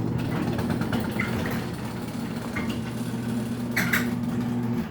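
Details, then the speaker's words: Raynor 270-7 chain-drive garage door opener on a Chamberlain T-rail, mini door: steady motor hum under load with light chain clicks and pops as the chain pops a lot; opener runs well. "So yeah, runs pretty well, I must say."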